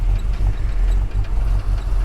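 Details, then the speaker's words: Ford XF Falcon ute, 351C V8, started a bit cold, timing not done, throttle flat to the floor: rumble pulses and dips, won't gain revs; bogging, owner suspects gas mixer or fuel, possibly faulty coil, unconfirmed. "see how that that just cuts out do that that's flat to the floor I think it's fuel"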